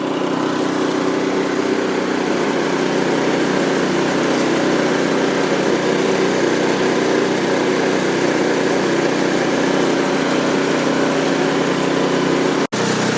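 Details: New Ariens Deluxe 24-inch electric-start snow blower, primed with 3 pumps and started: a steady, even small-engine drone with no knocks, misses or surging, with the choke fully open. Normal running.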